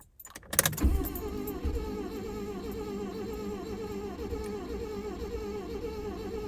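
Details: Proton Saga Iswara, driven 50,000 miles by its owner: after a click the starter spins the engine at a steady, even rhythm but it never catches or fires; cranks but won't start.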